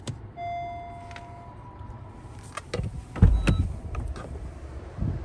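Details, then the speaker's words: 2021 Honda CR-V Hybrid Touring AWD started with the brake pressed and the start button: a few soft chimes and light clicks, then quiet low relay and pump noises as the hybrid system wakes up normally. "good old hybrid sound here"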